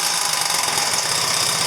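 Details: 2009 Genuine Buddy 125 scooter now starting reliably with plenty of fuel but bogging on throttle; runs with a fast, uneven flutter and wavering beat; owner suspects a bad CDI, cause unconfirmed.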